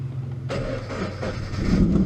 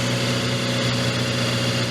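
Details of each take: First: Salvage Scion FR-S, first start attempt with small fuel added, gauge still empty: long uneven cranking, engine half catching and stumbling before dying; hard start, likely fuel-starved, then runs. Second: Salvage Scion FR-S on first start after adding a little fuel: steady even low hum with no misses or knocks; smooth normal idle.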